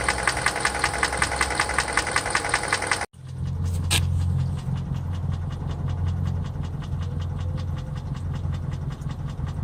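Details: 2013 Hyundai Elantra GT GLS, 1.8 Nu engine, bought new, ticking since about 120,000 km and now knocking despite frequent oil changes: steady idle with light fast even ticking; owner suspects Nu engine defect, unconfirmed.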